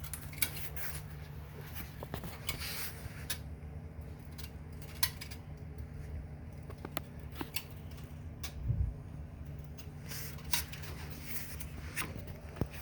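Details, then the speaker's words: Sunny SF-E3911 cardio climber, user stepping slowly with light handle pressure: sharp irregular clicks about once a second on both sides; suspected to come from the rollers under the foot pads, not confirmed. "After my wife was using it and I was laying on the floor trying to hear where the sound came from, it sounds like it might be coming from under the foot pads on the rollers that roll up and down this support."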